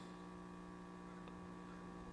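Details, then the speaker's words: 1950 Zenith portable tube radio, G503 chassis 5G41, being resurrected: a steady low hum with buzzy overtones while a circuit should be open. A leaky .005 or wax capacitor C13 was first suspected; the main B+ filter electrolytic failed, showing 31 V AC and 77 V DC. "Wonder why it's buzzing though. Should be open circuit, right?"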